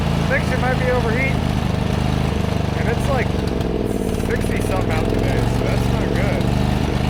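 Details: John Deere GT245 mower running loud and uneven under load, lumpy and sooty with black smoke; rich running from a clogged air filter, owner also wondered about overheating or head gasket.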